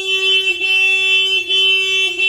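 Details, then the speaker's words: Honda Civic EG, long-stored, old aftermarket alarm triggered by touching the door: loud, shrill electronic tone stepping between pitches in a repeating cycle. "I touched this door, and of course that's what set the alarm off."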